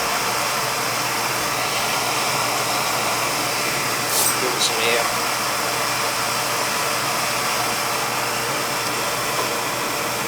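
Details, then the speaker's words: Old oil-fired boiler burner fired up after service: steady, even roar of flame and fan with no knocks, rattles or pulsing, noticeably quieter than before; running normally, though the boiler needs replacing. "we got a new noise on there sounded a lot quieter"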